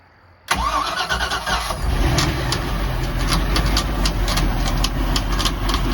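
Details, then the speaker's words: Mercruiser 5.0 MPI marine engine, first start with water on after fuel pump priming: engine catches and idles with a light uneven tapping from the power steering pump, which has been leaking; tapping expected to clear up shortly. "tapping sound is the power steering pump. It'll clear up in a minute."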